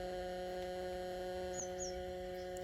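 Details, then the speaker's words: Home theatre woofer speaker with nothing playing: constant low electrical hum at one fixed pitch that does not change with volume; it disappears once audio is played. "Same frequency पे वो humming का noise आ रहा है।"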